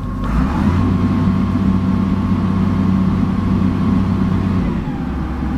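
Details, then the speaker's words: Excavator diesel at idle with automatic idle and automatic temperature-increase functions working: steady even low smooth rumble, no knocks or misses; engine healthy. "The temperature, automatic temperature increasing is working. The automatic idle works."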